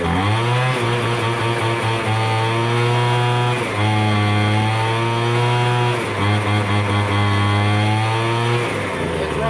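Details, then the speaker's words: MTD Bolens BL125 two-stroke leaf blower just started after carburetor repair, adjustment screws notched with a Dremel for adjustment: smooth even high buzz, dipping briefly with throttle and picking right back up; running perfect. "okay we but started up now put it on run you guys can [Applause]"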